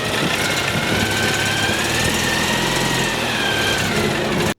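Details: Citroën 2CV that had failed to bump- or jump-start, running after carburettor cleaning: steady even drone holding speed with no misses, knocks or surges; running cleanly.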